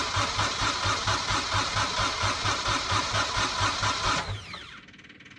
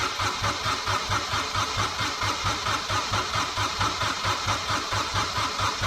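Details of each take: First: Kubota diesel engine after a starter upgrade to an 8-tooth pinion, 1°C cold, heater plugs unchecked: even cranking at about two compression pulses a second for four seconds with no firing, then the starter spins down; cranks but won't start. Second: Kubota diesel after fitting a new starter with an 8-tooth pinion on a 1006-tooth ring gear (9-tooth specified): steady, even cranking over a strong starter whir, no dragging; turns over well, some smoke.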